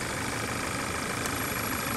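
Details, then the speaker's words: Audi/VW 2.0T, freshly rebuilt engine with a new breather (title cites P0171). Steady hiss with a faint constant ringing over a smooth idle; suspected vacuum leak, owner wonders if the breather gasket is at fault, source unknown. "there it is again you hear the ringing i do have a new breather on this thing what did it mess up the gasket or something i don't know where it's coming from"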